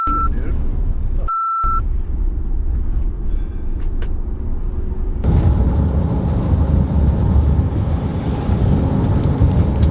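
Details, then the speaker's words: Tesla driving on road: short sharp electronic beep twice over steady road rumble; a driver warning sounded, a near front-end collision with a truck is mentioned, likely collision alert. "you can have them stick out the back hold the latch down and still make it home eventually it will stop beeping"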